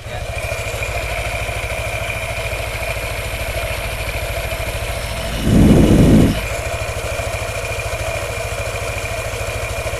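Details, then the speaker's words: Yamaha NMAX scooter at idle: a light, steady klotok knock-rattle from the CVT, mild here but louder when hot. The cause is loose rubber slider pieces on the roller housing; the fix is replacing them. "Cuman kalau lagi langsam kita berhenti lampu merah misalkan, itu berisik banget ya. Kayak bunyi klotok-klotok-klotok seperti itu ya."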